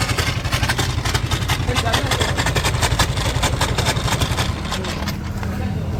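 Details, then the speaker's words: Suzuki Lets scooter idling: busy uneven rattle riding each firing pulse, about four per second; loose engine side cover buzzing on its mounts, cover also leaking oil. "तो चलिए start करके देख लेता वो आपन को मैं अभी स्टार्ट करने जा रहा है सुन सकते हो इंजन का साउंड बहुत खराब से आ रहा है ये"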